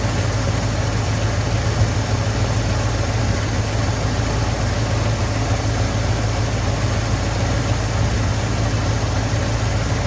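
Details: 1983 Ford F250 460 V8, carbureted, first fire-up after fuel filter prime; deep, steady idle with even low rumble, no stumbles, knocks or hunting, though the accelerator pump still leaks and has over-torqued, stripped threads.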